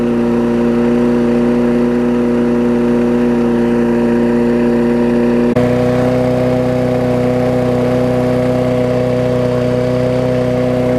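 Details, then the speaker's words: Small mower engine moved from a Sycamore mower onto a Craftsman aluminum deck, first start with spilled oil still burning off: steady, even drone with one small speed step, no misses or knocks. Normal running. "So there we go, running great. Sounds like it's got some oil to burn off still over here, which is gonna be pretty customary since I kind of got it all over the mower."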